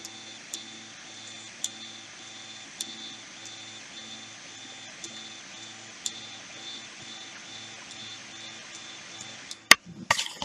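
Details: Tronxy X1 3D printer printing after the bed was re-levelled and filament feed restored: soft stepper hum with regular short moves and occasional ticks, smooth and even with no skipping or grinding; printer running normally.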